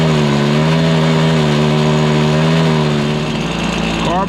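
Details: Stihl BR430 two-stroke backpack blower holds a strained, wavering tone at full throttle instead of climbing to clean high revs, bogging with no power; idle is fine; suspected fueling issue, carb high-side adjustment tried, spark arrestor checked and ruled out.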